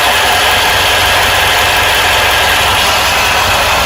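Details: 1995 Ford E350 van, 7.3 Powerstroke diesel at startup and idle: a loose, rattly clatter over the usual diesel knock. It randomly goes away, disappears when driving and returns only at idle and certain rpm; cause unknown.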